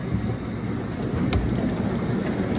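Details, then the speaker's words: Farm silo unloader on a very cold December morning (about 0° overnight), heard from outside with the conveyor on: a steady, even low rumble with no knocking, grinding or squeal. The unloader is running normally. "Everything's running already. Sounds fine to me. And it's running fine."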